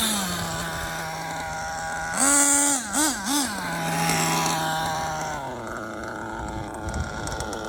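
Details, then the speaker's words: LRP 32x AMR modded nitro off-road engine after break-in tuning of the high-speed needle; high-pitched buzzing idle holds steady through a few throttle blips and settles back, idle good and stable. "idle is good and stable wow"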